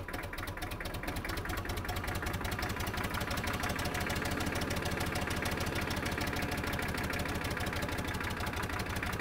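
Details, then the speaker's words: Kubota M5700 tractor, 5-cylinder diesel about 60 hp, after fuel lift pump and fuel filter replacement, tank obstruction removed and lines blown out: steady even diesel clatter under load up and down a steep driveway, no stalling; fixed. "all right we made it all the way down and up that steep driveway I think I can call this one a success"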